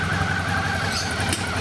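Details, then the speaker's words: 2012 Suzuki DL650A V-twin, bought cheap as a non-runner with an ignition problem, now running after flicking the clutch got it cranking; fuel pump changed, good compression, 6,669 km; steady even low pulse idle, no misses; normal idle. "i kept doing it with the clutch and then she started cranking over and bam she's up and running"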